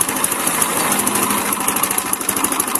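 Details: Motorcycle idling after a rocker arm replacement, rocker arm seized: fast, sharp metallic ticking valvetrain clatter from camshaft end play, loose camshaft battering the cam and rocker arm; oil supply to be checked.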